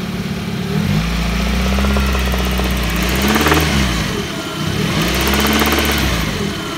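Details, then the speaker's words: Engine starts and idles evenly. One knock is suspected to be piston slap. A second, intermittent knock begins around 2000 rpm, grows with revs and seems to come from the alternator side. Owner wonders about valves; cause unknown. "Идет, короче, непонятный стук какой-то. Не знаю, что это."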